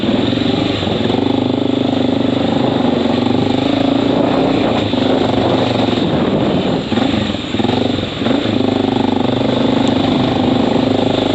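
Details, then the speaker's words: Honda XR650L with Lex exhaust, riding with the silencer tip in: a loud, raspy single-cylinder bark with a hollow, rattly edge; the owner says the silencer needs repacking. "Like I mean, it used to be throaty and deep and all that stuff, but with the silencer tip out now, it's just like obnoxiously fucking loud, like insane loud, like not even funny."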